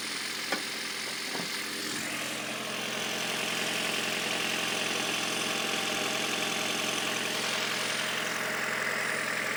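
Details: Toyota Prius 3 (third generation) petrol engine at cold start, firing up and idling with a light, regular knocking rattle over its hum.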